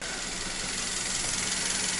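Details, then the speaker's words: Toyota Rush 3SZ-VE one year and 10,000 km after piston-knock repair (bored, 0.5 oversize pistons, 5W-30), warm idle: smooth soft even hiss and low hum, no knocking; normal. "запустили ДВС прогрелся до холостых оборотов в принципе он слышно как работает моторчик Шепчет и поет вообще даже не слышно"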